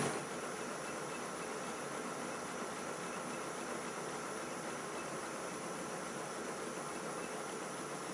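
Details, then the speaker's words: Model steam railway locomotive running: steady, even steam hiss and soft exhaust rush drawing the fire, no knocks or clatter; dry steam, running cleanly. "now the engine's running the exhaust blasting of the chimney is drawing the fire through the tubes so the steam to the cylinders looks very dry now"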